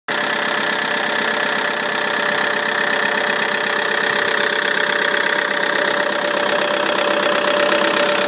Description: Need advice on what this engine noise is on cold start only then it goes away once warm. It's coming from alternator side, either belt or pulley/ tensioner possibly?